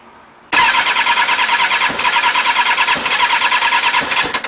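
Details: Motorcycle on a recharged battery, cranked on the button with choke off, partly on and fully on and with some throttle: starter spins the engine steadily about three beats a second but it never fires. Cranks but won't start, cause unknown.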